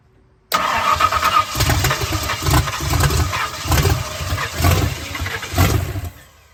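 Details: 1970 Ford Falcon with a budget-rebuilt 5.0 V8, first start attempt after the rebuild, on an uncharged battery low on voltage. The starter turns the engine over in even pulses, about one a second, for several seconds without catching; cranks but won't fire, cause unconfirmed.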